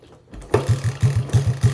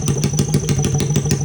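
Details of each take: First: Honda XR80 engine in a shifter kart, kickstarted on choke, revving to about 10,000 rpm: a few popping kicks, then a crisp, even rev with no knocks or misfires. Normal running. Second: Honda XR80 engine in a shifter kart, fast idle: rapid even ticking chatter and squeak from the top end (head); owner unsure of cause, engine needed oil.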